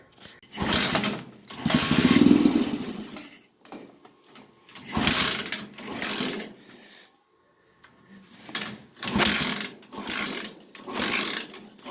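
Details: 125cc engine swapped into Yerf Dog go-kart, dirty carburetor with black deposits, idle screw never adjusted, fuel leaking, kick-started: catches in short ragged bursts, revs sag and it dies repeatedly with silent gaps; engine stalling, cause unconfirmed.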